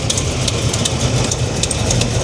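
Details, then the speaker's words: 1987 Chevy Monte Carlo SS V8 idling: faint quick ticking pacing with firing over steady idle; owner suspects header leak at one missing header/manifold bolt that must be shortened. "there's only one gasket that I couldn't get I mean one bolt one bolt on the exhaust manifold or the header I think I hear it too"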